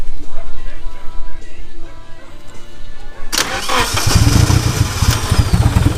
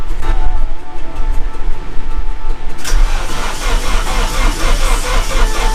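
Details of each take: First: Rebuilt Nissan KA24DET engine, first official start-up after fixing the spark, with the fuel primed: it cranks for about three seconds, then catches and settles into a steady run. A good first start. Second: KA24DET after a rebuild, cranked with the fuel pump fuse and another fuse pulled to prime fresh oil through the turbo and lines: after a quiet stretch the starter turns it over steadily without firing, sounding weak; cause unknown, spark check next.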